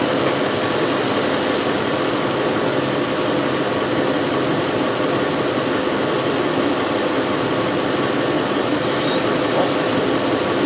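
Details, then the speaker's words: 2005 VW Touareg 4.2L V8 with lean faults and a stiff brake pedal: even idle with a loud steady hiss from a heavy vacuum leak, traced to a big split in a previously patched vacuum hose in the brake booster circuit. "it sounds like there is a pretty heavy vacuum leaf which would explain our stiff brake pedal"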